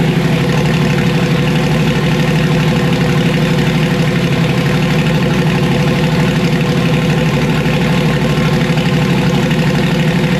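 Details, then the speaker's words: Loud, deep, lumpy idle with uneven beat on a car just switched from Procharger to turbo, after boost control/dome pressure testing; rough running, owner suspects two Holley coil packs are toasted, not confirmed. "okay all right well it sounds like maybe I toasted two full packs all right well these are holly coil packs"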